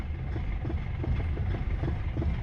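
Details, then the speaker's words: Foton Tunland diesel just after starting, after cleaning parts with air still in the fuel system; uneven low pulses, lumpy beat and diesel knock, slightly better but still rough; owner plans to replace all injectors, cause unconfirmed. "yeah sounds a little better but I'm not satisfied looks like we're going to have to replace all the injectors guys"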